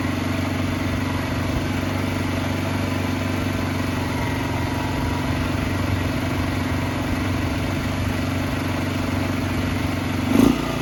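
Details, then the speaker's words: Barn-find 2005 Suzuki GZ250 single with 950 miles, just started on starting fluid and warming up: a fast, slightly uneven idle that stumbles near the end. Rough running; owner suspects carburetor trouble, needing more choke, and old gas. "I think we got some carburetor troubles. That's alright. We heard it run. Need a little bit more choke."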